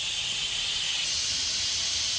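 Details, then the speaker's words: Used air compressor after leak thread repair and new pressure switch, holding pressure with no leaks: tank drain valve opened at the bottom, steady high hiss of escaping air growing louder as the valve opens further; normal air release. "so let me go ahead and show you on the bottom that she's uh I'm gonna let the air out if I can untighten it with one hand you can hear the air it's coming down so"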